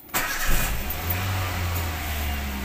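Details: Toyota Avanza (TPS-related hard-start case) after throttle position sensor replacement: engine cranks, catches within a fraction of a second and settles into a steady, even idle with no misses; runs healthy.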